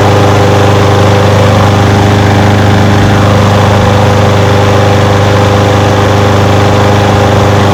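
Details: Old curbside Craftsman push mower with a Briggs engine, first run after revival: fast, even idle on its own fuel with no surging or misses. It smokes a little. Windy outdoors. Normal idle.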